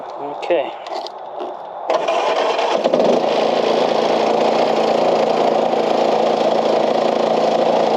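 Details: Old Craftsman LUV (Lawn Utility Vehicle) riding mower, non-runner revived, fuel cap left loose as vent suspected plugged: after cranking the small engine catches and holds steady, even run without stumbling; stays running and goes in gear; normal running.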